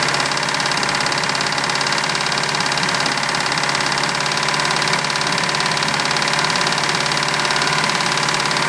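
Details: 1987 MerCruiser 3.0: steady idle with hard metallic tapping about three to four per second; engine knocking, cause not identified.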